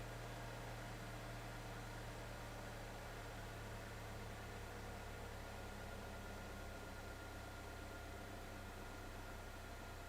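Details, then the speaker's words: 2012 GMC Terrain 2.4L four-cylinder after cleaning the MAF, cleaning injectors and fixing an open vacuum port: idle slightly uneven but steady, no misfires, far better than before. "I mean it's not perfectly smooth but it's I don't hear any misfires"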